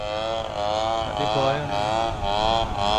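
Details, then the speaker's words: TU 26 WS glow engine in an RC trainer plane on its maiden flight. High buzzing note that surges and dips about twice a second: it sounded good at first, then started sputtering at the end, which is described as running wet (basah). "Sebenarnya suaranya bagus di awal, tapi di akhir mulai tersendat-sendat, basah basah basah."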